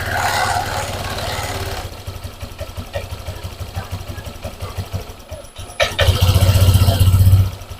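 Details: Honda Vario 150 injected scooter, high fuel use and fouled plugs, idling after swapping the original injector back: idle hunts and wavers, then blips up sharply; erratic rich idle, injector ruled out, faulty throttle position sensor later found.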